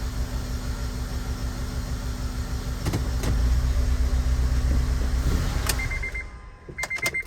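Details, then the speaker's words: Honda Element (code P0301) idling still down a cylinder: a lopsided, chuffing lope with one beat missing each cycle, then the engine shuts off. The rocker is ruled out, and the misfire is traced to a failed fuel injector. "It's down a cylinder still."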